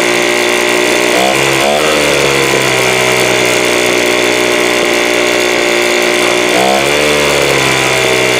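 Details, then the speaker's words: 2017 Troy-Bilt TB430 two-stroke leaf blower after new spark plug: buzz climbs only slowly on throttle opening twice, then sags; lazy rev-up, carburettor or unchecked fuel filter suspected. "hopefully you can kind of hear how you hit the throttle there it's like slow here slow coming up"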